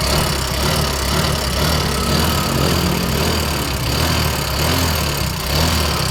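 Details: Yamaha Mio Soul GT 125 smoking heavily and burning oil: idles with a thin metallic rattle over an uneven beat. Owner suspects a worn rocker arm bearing. Cause not confirmed.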